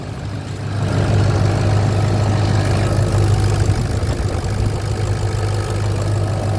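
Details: 2004 Ford F350 6.0 diesel idling after first start following replacement of worn seals, O-rings and standpipe: deep steady idle swelling smoothly as revs rise then settling evenly, no knocks or misfires; healthy, best it has sounded in a long time.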